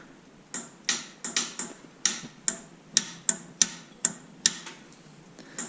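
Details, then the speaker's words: 1940s–50s forklift in neutral with a suspected voltage drop in the starting circuit: about a dozen sharp, uneven clicks, roughly two a second, and no cranking. It won't start; the battery voltage is checked next. "On entend le déclic, puis il ne veut pas démarrer."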